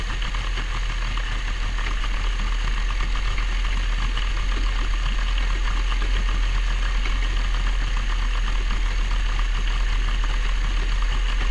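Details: Carburetted boat motor started after 12 months sitting, with carbs kept primed and fresh fuel: deep, even idle with a steady low thrum and no knocks or stumbles, warming up cleanly after a cold start; normal warm-up idle.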